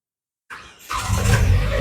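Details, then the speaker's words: 2007 Naza Citra (Kia Carens) 2.0 after new sensor fitted, fault codes cleared, engine warm after about two hours' running: brief crank then prompt catch into smooth steady running; clean start, previous 15-minute stalling gone. "Alright, engine sudah hidup. Kita tengok sini. Kameramen tengok, engine sudah hidup."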